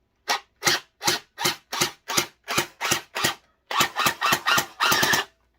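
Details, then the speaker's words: SB400 Splatrball gel blaster firing: separate sharp shots about two a second, then quicker uneven bursts; it works but sounds off, owner suspects a motor problem rather than the battery; irregular firing. "that sound like a motor problem like it's working but it's the motor"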